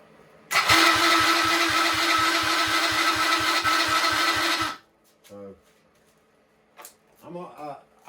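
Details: Tao Tao 110 ATV with new battery, crankcase oil flooded and being drained, carburetor suspected faulty: steady whirring whine with regular chuffing pulses about four a second while cranking; starter sounds rough and noisy, cause unconfirmed.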